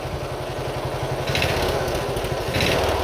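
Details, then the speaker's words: Single-cylinder Briggs & Stratton Intek engine on a race mower tractor: chugs, then revs, with a faint knock only on throttle, plus a suspected exhaust leak; carb jet possibly over-drilled, running rich or overflowing the needle, not confirmed. "Definitely has an exhaust leak, I think, too. But yeah, it sounds a little knocky. Might be overflowing the needle. It actually runs really good. Yeah, you hear that? Definitely has a little bit of a knock to it."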